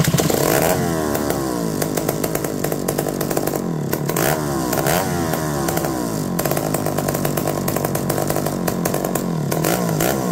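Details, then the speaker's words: McCulloch D44 chainsaw revived after reportedly 15 years unused, once a hard stubborn runner; two-stroke fires right up, but revs rise and fall with brief dropouts under revving; intermittent cutting out, possible coil issue suspected. "you can kind of hear it cutting out here and there but it fired right up"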